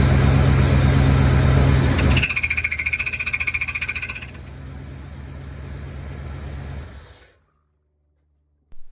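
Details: 1984 Chevy K5 Blazer with new crate 350, starter cranking: harsh metallic scraping whine with rapid rhythmic rub as the starter gear fouls the flex plate; fixed by creating a gap between flex plate and starter.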